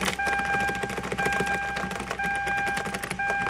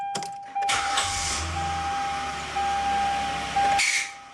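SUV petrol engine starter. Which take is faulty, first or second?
second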